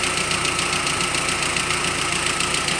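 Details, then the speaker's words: ZMZ 406 injection engine in a GAZelle, hot at 70–87 °C; quick steady ticking from the cylinder head over the warm idle. Owner suspects hydraulic lash adjusters and is replacing all eight. "стучит именно на горячую при температуре от семидесяти до восьмидесяти семи градусов"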